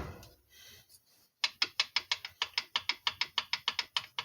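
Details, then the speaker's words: Tecumseh TVS90 engine from a 1984 Toro mower, failed, turned over slowly by hand during teardown with the head about to come off; sharp rapid clicking internal knocking, cylinder wall condition suspected. "yeah you hear that you hear that knocking pretty sure that's what I was hearing"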